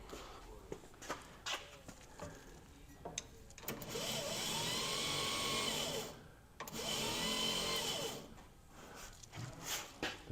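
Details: Barn-find 1961 VW Beetle: two short bursts of high, even whirring with no cranking beat, the starter spinning freely without engaging the flywheel. Owner suspects a bad ground or loose battery cable, not confirmed.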